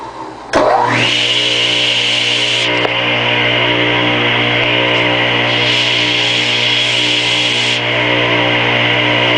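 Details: Craftsman 8-inch direct-drive table saw motor, model S48BRK-1820, 120 V 7.8 A 60 Hz 3450 rpm single-phase, run installed in the saw: it spins up in under a second to a steady, even hum with a fixed high whine and no rattle; normal running.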